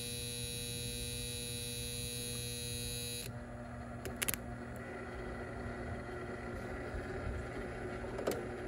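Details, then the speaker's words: Goodman package unit, heat jumped out: hard-edged electrical buzz for about three seconds then cuts off; the bottom contactor coil is burnt and smoking. "oh you probably can't see the smoke but yeah that contactor look at that that coil is burnt on that contactor"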